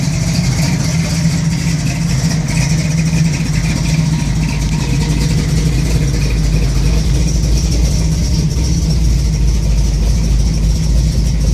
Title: 1971 camaro SS 402 big block rough idle